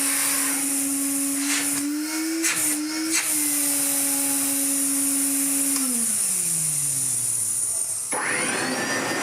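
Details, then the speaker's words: Refurbished 1970s Hoover 427 vacuum, same motor as a Constellation: spins up to a clean, steady even-pitched whine and winds down smoothly. "Ignoring that bit of how this one sounds, this motor's in a lot better condition, and dare I say it, feels like it has a bit more airflow."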